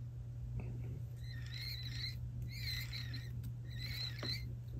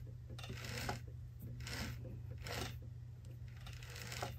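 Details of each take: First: Unlubricated sprag-style one-way bearing, before lubrication: high chirping squeaks repeat about every second over a low motor hum, from the dry sprag one-way bearing. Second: Helicopter's sprag-style one-way bearing after greasing: soft, dry rustling bursts about once a second with no squeak or squeal, the earlier squeaky noise gone; quiet, smoothly freewheeling one-way bearing.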